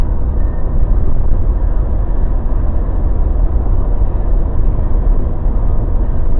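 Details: Mazda BT50 pickup driving after fixing clunking, grinding, cracking noise that began after driveshaft cross joint and center bearing replacement, repair involving upper ball joint and differential oil: steady low road rumble, no clunks or grinding; quiet healthy driveline.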